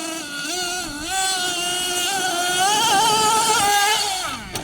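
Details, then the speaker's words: Losi LST XXL2 1/8-scale monster truck with a .31 cu in gasoline two-stroke, being tuned at elevation: buzzy revving between throttle blips, then it cuts out on landing. Owner suspects a lean mixture despite richening, or a low battery causing shutoff. "a again it just dies it must be too lean it can't be too lean we've been fattening it the whole time fatten it up it's dying on impact"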